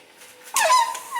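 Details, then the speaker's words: Brand-new 8 ft Minn Kota Talon shallow-water anchor, off the boat: a sharp squeak near 1 kHz during deploy and retract, seemingly from its arms rubbing; quiet in the garage but squealed on the lake. The planned fix is lubricating the shafts. "you'll notice right there it squeaks and it sounds like it's something to do with this rubbing or maybe on the opposite side rubbing"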